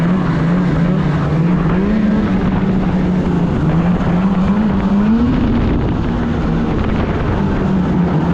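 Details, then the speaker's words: 2016 Polaris Indy 600 SP two-stroke snowmobile, test ride after fresh spark plugs, before fuel filter fix: steady wavering drone never climbs under throttle, only about 6200-6400 rpm; bogging from fuel starvation through plugged filter. "yeah this thing here you hit half throttle and it got nothing"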